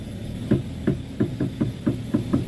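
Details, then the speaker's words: Front wheel of car while steering is turned: dull woody "tek tek" knocks about three times a second from a worn, dry inner tie rod joint. "Nih itu bunyinya ya, Teman-teman. Bunyinya tek tek."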